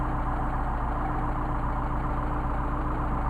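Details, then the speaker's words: Mercedes 190SL with tested Solex carburetors, after linkage adjustment with turnbuckle and readings back to six and a half; steady, even idle with a smooth low thrum, no hunting or stumbling, carburetors balanced. "I think you'll be very happy I am these are really really nice carburetors and should give you many years of service"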